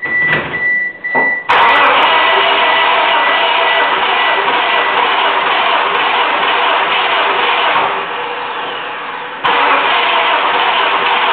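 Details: 1997 Mitsubishi Eclipse 420A RS N/T, dead while driving, timing belt and water pump recently changed, seller claims warped cylinder head: starter cranks at an even beat about eight seconds but never fires; crank, no start, cause unconfirmed.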